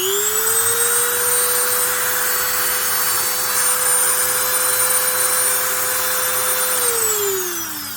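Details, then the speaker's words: Dremel rotary tool after shimming its loose motor field with soft washers to stop vibration; steady high whine spinning up and winding down, mild buzz still there but not too bad; normal running. "now we're going to put this back on which was making it vibrate so much there we go a little bit of noise still but really not too bad"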